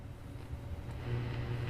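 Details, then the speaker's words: Auction-bought guitar amplifier of unknown condition, gain maxed out: steady low buzzing 120 Hz hum that grows louder partway, louder when wiggling the cable; output seems weak; 120 Hz hum. "And do you hear the humming noise? There's 120 hertz hum. I have the gain maxed out."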